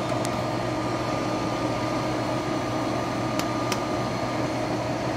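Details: MH-80-OFR kerosene/diesel heater with photocell bypassed by shining light into sensor hole: steady even roar of burner and fan with no cutout; heater runs fine, photocell failed.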